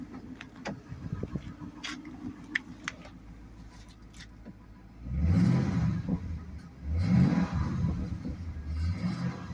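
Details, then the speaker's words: 2008 Mustang Bullitt, 189,000 miles, just after timing chains and oil pump replaced; low idle then two throttle blips, light rattle over engine as revs climb – rattle when revving, otherwise running fine, cause not pinned down. "So, if you I don't know if you can hear it, but there's a a rat That's the rattle the rattling sound is there. Seems to be running fine though, otherwise."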